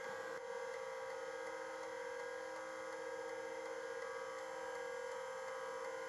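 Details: Plexus P/20 1985 UNIX computer, large multi-head hard drive being scanned with many bad blocks listed: steady whine with faint, uneven seek ticks throughout as cylinders 0–753 are read; drive sounds healthy, normal seeking.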